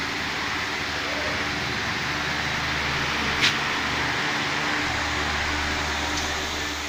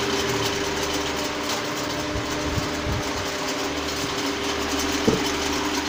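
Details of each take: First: Pedestal fan after a loose blade part was refitted; it runs with an even, steady airy hum and no rattle or ticking, and the earlier noise is gone. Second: Pedestal fan running: steady hum with a light, uneven buzzy rattle.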